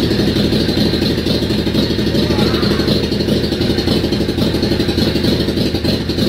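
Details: Yamaha Virago XV535 V-twin started with choke on a recharged battery after months unused: loud, uneven idle with a loose clattery beat about four pulses a second, smoky and stinking; owner blames bad old fuel, then it dies out of fuel.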